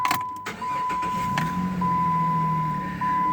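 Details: 2007 Jeep Grand Cherokee 3.7 L V6, after cleaning and applying corrosion gel to the corroded starter signal wire post for a no-start with transmission temp warning: brief starter whir, catches, even idle under a steady chime; starts cleanly, warning gone.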